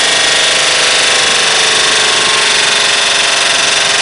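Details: BMW 524td E28 diesel running away at full revs after the turbo failed, following whistling and power loss; heavy white-blue smoke, the injection pump kill switch would not stop it, and it ran on oil sucked through the broken turbo, which held turbine fragments.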